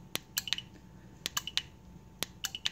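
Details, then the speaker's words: ALEKO AC-1400/AR-1450 slide gate opener KZB-13 control board after programming LM-123 remote: sharp relay clicks in three quick groups when the remote is pressed, showing it is programmed; normal relay clicking on remote command. "if you press it again this time around you get a different sound to the board if you notice if or if you hear it you're getting a little clicking noises coming out of these relays right here"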